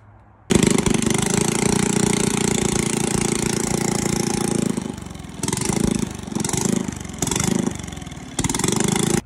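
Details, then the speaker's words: 5hp Tecumseh go-kart engine, oil found milky: catches and runs steadily at first, then surges and sags repeatedly; rough running. "finally checking the oil against our better judgment oh boy milky the Milky Way wonder why this wasn't running well"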